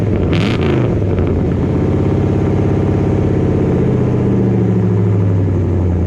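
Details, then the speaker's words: Dodge Dakota R/T V8 pickup with Scat Pack/Hellcat resonators plus added Ram 1500 resonators: loud lumpy idle with a throttle blip settling into a deep, steady low exhaust boom, a resonator drone that is still too loud. "Touching on the gas, and she's making that drone noise, that deep drone."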